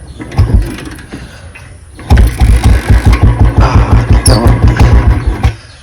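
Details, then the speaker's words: Motorcycle after about a litre of water got into two litres of petrol in the tank, kick-started with choke: uneven chugging at about three pulses a second that won't pick up on throttle; engine bogs, cause unknown. "Accelerator കേറില്ല അതായിരുന്നു രാവിലെ തോട്ടുള്ള [സംഗീതം] പ്രശ്നം accelerator starting ചെയ്തിട്ടുണ്ട്"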